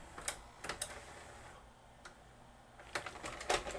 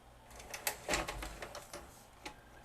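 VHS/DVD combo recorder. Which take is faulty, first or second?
second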